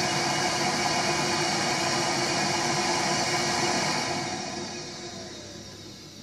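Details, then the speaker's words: Viessmann gas boiler, ignition attempt with no gas flowing: rapid igniter ticking about two or three a second over fan hiss, no flame; no flame rectification, then safety purge. "You can hear the ignition running there. Trying to light the gas, but no gas flowing. Boiler's recognised there's no ignition, no flame rectification."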